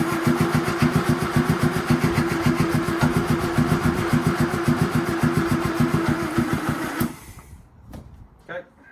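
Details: Land Rover Series 2A with rebuilt engine, temporary wiring loom and gravity-fed fuel, seized carb throttle just freed: starter cranks steadily about three and a half beats per second for seven seconds, never catches, then stops; cranks but won't start.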